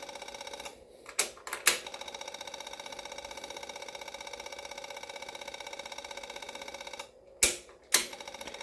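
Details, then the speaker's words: Yamaha V-Star 650 Classic with new fuel lines and fuel pump, first priming: rapid, steady light ticking from the pump that doesn't stop because it isn't yet reading enough fuel; owner suspects a possible air pocket in the line. "good it's definitely taking fuel now but it's not saying it has enough going to keep going until that stops priming"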